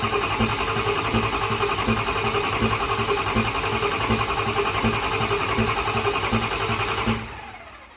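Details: First fire-up of a rebuilt diesel truck (6.0/6.4 build) with no air filter; it had earlier ingested its filter and destroyed the turbo. Even cranking at about 3.5 beats per second with sharp pops riding on it, then stops. Intake popping while cranking.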